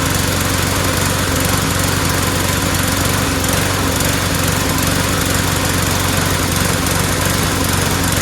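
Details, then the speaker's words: Lawnmower single-cylinder engine runs loud but uneven and sputtery with occasional stumbles; owner rules out the carburetor and suspects cloudy, water-saturated fuel mixed with two-stroke oil, before draining the tank for fresh gas. "you know it doesn't sound so good it sounds sputtery so I don't think it's the carburetor that's all I was thinking it's got bad gas in it"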